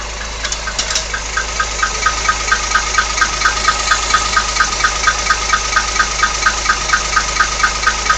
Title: 64 rambler odd engine noise